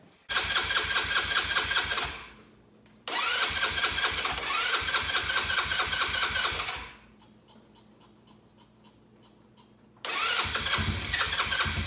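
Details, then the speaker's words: Cheap Chinese 4-wheeler buggy sat two years, carburetor flushed, fuel now gushing from overflow (owner suspects dislodged float seat): small engine catches, idles with fast even patter, dies, restarts and settles, no knock. "So I'm thinking that I probably dislodge the seat inside the carburetor, which there's nothing I can do, but good news is I've got it running."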